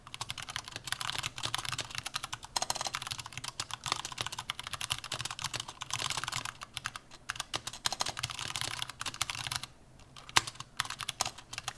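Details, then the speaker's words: Vortex Pok3r 60% keyboard, aluminum case, typing test: fast clacky keystrokes with thin metallic case ping and loose rattle from poor stabilizers, especially backspace. "There's a bit of pinging on the board, so I'll let you determine that for yourself through a sound test. Please give it a listen."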